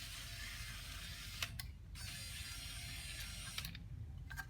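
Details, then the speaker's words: Proton Persona passenger-side power window after removing the rattling motor and fitting a new bracket. Steady whirring gear drive with a click at each stop, no rattle; now running normally. "So I've installed it back into position, and then no more noise."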